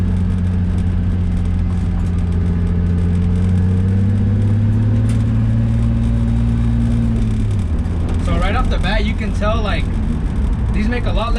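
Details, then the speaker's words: Nissan 350Z/Infiniti G35 driving over small bumps after replacing cheap Rockauto ball joints with Concept Z Performance front lower ball joints with polyurethane bushings: no knocks or clunks from the front, unlike the old worn ball-joint noise. "make a lot less noise than my other ones. My other ones, when I would hit small bumps like those that we just hit, you would hear them like, you know when your ball joints are out, the noise that they make, that's the noise that mine used to make."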